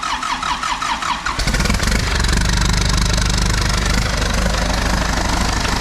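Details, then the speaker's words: Diesel backhoe engine salvaged from a rolled machine, first start on the bench: cranks a few seconds, then catches cleanly into a steady, even diesel clatter with no knocks or misses, smoking but running well. "man check out all the smoke runs good though so anyway"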